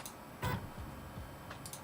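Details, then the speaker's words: AWD Voron V0.1 3D printer, Y axis homed and jogged; soft low stepper hum with faint ticks and brief chirps as the axis accelerates and slows, quiet and even: normal stepper motion. "nice and quiet time to print a boat and it still sounds like X and Y are fighting each or X is fighting each other no it sounds good never mind both actually sound good"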